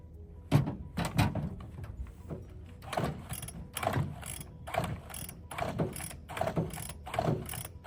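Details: Bolens BL160 two-stroke weedeater with a new spark plug and fresh fuel: about eight quick rope-pull rattles, roughly one per second, with no catch or firing. Cranks but won't start.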